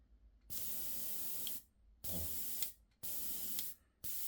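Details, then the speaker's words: Microjet MID 15-litre fridge-motor compressor with full tank and motor stopped: three clean airbrush hiss bursts of about a second each with no motor hum between; spraying normally on stored air. "O motor tá lá parado, porque ele tá usando o ar que tá armazenado aqui dentro. Ou seja, é silêncio total, tá?"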